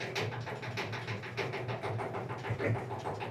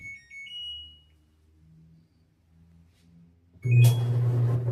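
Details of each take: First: Clothes dryer: steady rumbling drum with a regular thump, a knocking dryer drum. It was fixed by removing the drum and fitting new roller wheels. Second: Clothes dryer after a knocking-drum repair with new roller wheels: a few control beeps, then the drum runs with a steady low hum and no knocking or thumping; sounds healthy.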